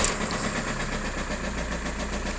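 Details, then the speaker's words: VW Golf GT TDI diesel, 115 hp, six-speed, 169,815 miles, sold for spares or repair; just after start, rapid hard knock over the diesel clatter; engine knocking, cause not confirmed. "the engine unfortunately is knocking so it's got a pretty bad uh sound to it"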